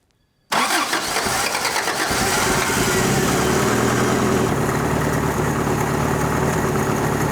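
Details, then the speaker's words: Toyota abandoned 20+ years in a junkyard, first start after fitting replacement carburetor and inline fuel filter: catches at once, steady even idle with no misses or knocks, accelerator pump audible, charging; healthy. "That sounds pretty good. I can hear the accelerator pump working on this carburetor. So that's already an upgrade."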